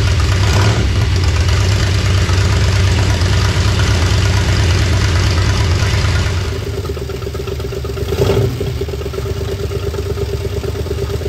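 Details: 1976 Ford Bronco Sport parked 30 years, after ignition repair, choked with extra fuel: low, lumpy V8 idle with an uneven beat that stumbles and dips before catching again; running rough, oil pressure gauge hose leaking.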